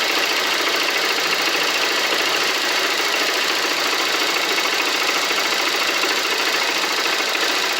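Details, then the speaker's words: Motorcycle engine idling steadily with an even mechanical hum after repair, no chain rattle or slapping; earlier noise was thought to be a broken rocker arm, and the old tensioner was replaced, normal idle. "vou estar fazendo funcionamento aqui da motoca aqui para você escutar o motor barulho dela não tá mais defeito só era mesmo"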